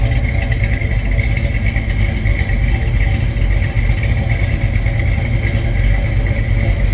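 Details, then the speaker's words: 1968 Plymouth Barracuda hardtop with 727 automatic, not yet warmed up, at cold idle: deep, even burble at steady idle, no misses or knocks; strong healthy engine. "Listen to this thing idle. Ooh. This one will turn some heads with the way it sounds and the way it looks. Wow."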